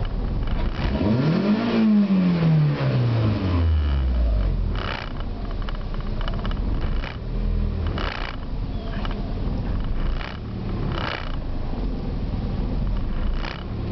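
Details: 1994 Mazda Protege. Long crank with a swooping pitch before it catches and settles into a rough, uneven run. Hard starting, cause not evident.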